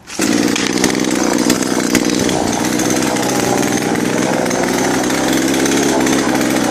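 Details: UDT two-stroke chainsaw on 25:1 fuel-oil mix, after starting: snaps to a high steady scream and holds it evenly while cutting wood, no bogging or misfire; running healthy.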